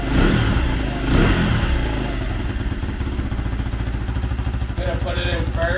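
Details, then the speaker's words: 2004 Honda CRF80 single-cylinder after complete engine rebuild with big bore kit, first start with no choke: steady fast-idle thumping with a brief blip, clean and even, no knock or clatter; needs slight idle adjustment, assembly residue burning off. "oh yeah she'll run real little choke needs a little idle adjustment but it sounds good"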